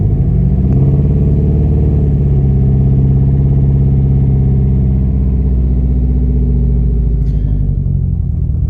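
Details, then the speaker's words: B5 VW Passat 1.8T, about 400k miles, cold start after injectors were cleaned and fitted with new O-rings: low, uneven rumble with stumbling beats and sputtering while warming up, turbo smoking heavily; running rough, cause not yet found. "Listen to her. This thing sounds gnarly."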